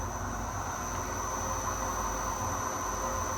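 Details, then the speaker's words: Torque converter balancing machine testing a vendor's converter at 500 RPM with the belts removed: steady high-pitched whine over the motor hum with no knocks is VFD motor switching-frequency noise, not the spindle. "So, that's until the VFD starts to make a little bit of noise. I've taken the uh the belts off. And that's not the spindle making that noise. It's actually VFD motor uh frequency noise."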